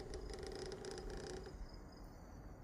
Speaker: Got this sound coming from my PS5 up by the fan. It's like something is loose.